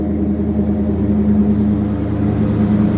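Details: 1929 Chrysler 360 with Edelbrock AFB carburetor at idle after straightening a bent passenger-side metering rod that had fuel-fouled all plugs on that side; steady, even low hum, no popping or missing, idling about 500 rpm higher, now running smoothly.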